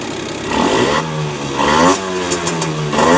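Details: Honda NSR50 two-stroke with bored-up cylinder (Daytona 62.9cc, later stock-based 65cc): blipping revs with dry metallic clatter riding on them; owner suspects crank big end or balancer bearing, noise persisted after reassembling other parts.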